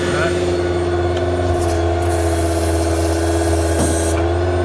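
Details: 2012 Ford F-550 service utility truck with a crane, PTO engaged while the outriggers are worked: a steady engine drone with a constant hydraulic pump hum layered over it, smooth and even; outriggers working normally.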